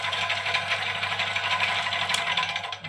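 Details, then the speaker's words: Old scroll saw running smoothly: fast, even chatter of the blade stroking up and down at a steady rate, with no knocks or grinding. The saw has a fairly large motor. Normal running. "Jadi dari suaranya pun masih sangat halus."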